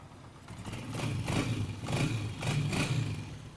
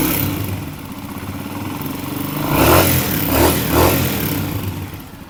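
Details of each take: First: Honda CG 125 old-model single-cylinder bike after tappet adjustment to factory spec with feeler gauge: steady even low thump, no tapping from head; healthy settled idle. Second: Old-model Honda CG 125 single-cylinder, running and blipped before tappet adjustment: light rapid ticking clatter over the engine; tappets making a lot of noise, needing adjustment.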